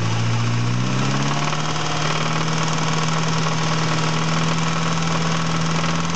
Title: engine knocking